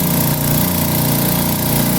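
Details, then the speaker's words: Direct-drive air compressor after repair of an intense internal noise, final test with valve open: steady even hum with smooth compression rhythm and no metallic noise; fault was the counterweight, now running normally. "sem nenhum barulho metálico Só o barulho da compressão compressão tá ótima"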